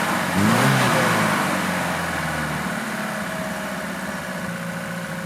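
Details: Lada Niva carburettor engine after winter storage, idle-problem test; steady even idle, maybe a touch fast but smooth, no hunting or stalling; normal idle.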